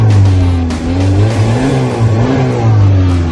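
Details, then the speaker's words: 2010 Ford Fusion just after a DIY throttle body replacement (code reader flagged the throttle body), engine started and revved, still warming up before idle drops; check engine light stays off; revs rise and fall smoothly with no stumble or rattle; healthy. "Let her idle down. It should idle down now. Yeah, you gotta give it a minute to warm up, and then the idle will go down."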